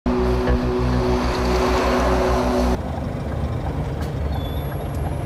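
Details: Truck gear change: a loud rushing air hiss over the idling engine for almost three seconds, cutting off sharply; normal, caused by air pressure changes.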